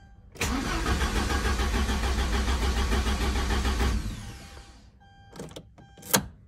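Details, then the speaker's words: 1995.5 Porsche 944 that lost power, after DME relay replacement: starter cranks evenly and rapidly about 3.5 seconds, tach jumps, battery somewhat low, engine never catches; seized fuel pump, later replaced with tank-to-pump hose. "all right so i changed the dme really but whatever it cranks the attack does jump i probably should put some more juice in the battery"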